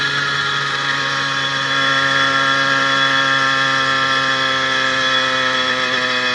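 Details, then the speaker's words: 80cc motorized bicycle two-stroke with new piston, unbroken-in rings and upgraded needle wrist pin bearing, climbing hills at 26-28 mph: steady even buzz under load, earlier ping gone; normal running. "i'm surprised actually um that the smaller wrist pin bearing is working better than that large cage and you can hear the motor sounds really really well"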